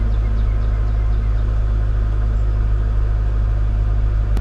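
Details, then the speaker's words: 2014 Nissan Sentra 1.8L, previously hunting 600–1000 rpm and stalling with a MAF code, now in park: steady, even low rumble with no dips or hunting, smooth stable warm-up idle. "because now I'm in park right now and this thing is idling like a baby before this thing wanted to die all day"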